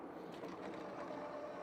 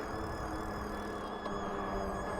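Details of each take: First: Mokwheel Obsidian ST e-bike at 20–25 mph after lubricating the front hub: only steady wind and tyre rush, the earlier whine from the front hub is gone. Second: Mokwheel Obsidian ST e-bike (750 W rear hub motor, 26x4 fat tyres), slowing while riding: steady high-pitched whine over the rolling noise, seemingly from the front wheel; after a wet ride, owner suspects it needs lube.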